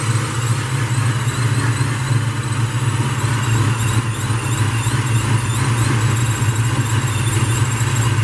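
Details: Jeremy's car (4.6 mentioned) on cold start after a fresh set of spark plugs, fitted to cure a high-rpm stumble/spark blowout, still on 93 octane pump gas: deep, even idle with a steady low rumble, no misses; runs fine.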